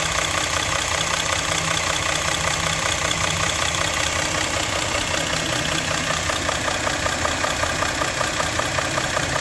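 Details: Engine at steady idle with a sharp, even tapping knock of about two to three per second riding over the engine note; engine knock at idle, cause unknown.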